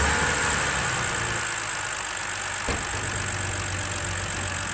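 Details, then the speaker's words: 2011 BMW X3 3.0 L N52 inline-six, first start after replacing the valve cover to cure a whistling and screeching noise: a smooth, even idle with a steady low hum and no whistle or screech; the engine runs normally. "Purrs like a kitten."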